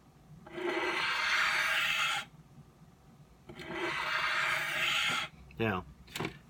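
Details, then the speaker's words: Blade pulled across a 12 in Norton India bench stone in two smooth, even hissing strokes, the sound of the correct sharpening angle; too steep an angle would grind and scrape. "can hear that sound Shh okay that's giving you an idea that you're working the way you should be okay"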